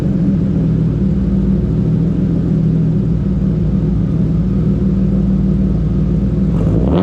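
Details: BMW E36 325is with new custom stainless exhaust and resonator but no muffler: deep steady booming drone at idle, far too loud; owner is ordering a muffler tip to see if it helps.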